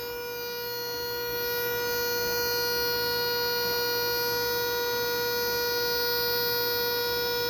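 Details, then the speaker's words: Bosch/Radionics 4012/8012 alarm demo setup: after arming and simulating entry, the keypad sounds a continuous steady single-pitch buzz, the entry-delay warning, left to run out. "We'll make it think we're entering the building. It should buzz for the entry delay. Yep. So, you hear the entry delay?"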